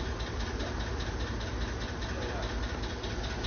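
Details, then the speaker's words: 2012 Chevrolet Tahoe petrol engine at idle: light, quick lifter ticking, a few taps a second, over a low steady idle rumble; it disappears with revs held up, indicating a weak oil pump. "هذا يدل على طرمبه الزيت ضعيفه واضح نعم طرمبه هذ خلاص التاهو 2012"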